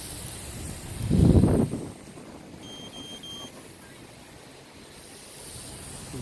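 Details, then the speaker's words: LaTrax Alias quadcopter with high-voltage mod flying in park: three short high-pitched transmitter beeps over faint outdoor noise warning of low flight battery; beeps turn rapid before it must land. "transmitter is beeping it gives you a certain amount of seconds you still can do flips and all but then it'll it'll start beeping rapidly and literally just land"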